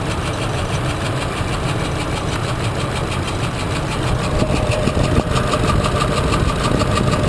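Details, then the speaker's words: 2004 Ford Expedition, hard starting and rough idle, heard at idle through a stethoscope on one side: uneven clacking knock about three times a second; lifter in cylinder 3 broke, threw the rocker arm, bent the valve, destroyed the camshaft. "what I can hear that I don't think you can hear is that when I check this side you can definitely hear the clacking clack clack clack clack clack cl"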